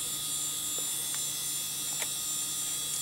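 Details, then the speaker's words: Dell Precision 340 Pentium 4 computer running: a steady high-pitched whine with several fixed tones from its old ball-bearing hard drive. "there's the hard drive that's just shrilling away over there that's the thing I don't miss about old hard drives with ball bearings God that noise drives me nuts"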